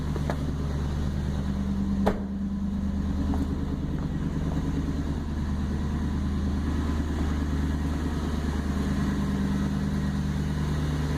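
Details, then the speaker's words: 1999 Toyota Land Cruiser 100 Series at idle with the muffler failed, heard with the door open: loud booming drone and resonance, obnoxious, not how it should sound; before replacement with a Bosal muffler. "Very loud, a lot of resonance, not how it's supposed to sound. So that's with the door open, quite a bit louder."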